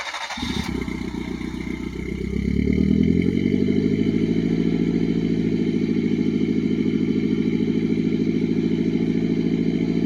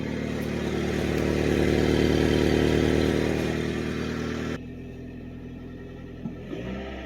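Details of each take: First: Mitsubishi Pajero Mini turbo, five-speed, new custom 2-inch mandrel-bent exhaust with short turbo muffler, no converter; cold start from outside: catches quickly, revs flare then settle to an even, steady idle; turbo more noticeable than the mellow exhaust; normal. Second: Mitsubishi Pajero Mini turbo, five-speed, before exhaust replacement: revving with raspy, chuffing note that cuts off abruptly; rusted exhaust leaking, holed catalytic converter and blown-out rear resonator, exhaust possibly partly plugged; exhaust leak.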